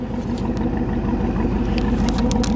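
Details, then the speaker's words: 1983 Mercury Cougar fuel-injected V8 just started after sitting: loud lumpy idle with faint irregular puffs and ticks, suspected exhaust leak; possibly missing catalytic converter. "I hear an exhaust leak."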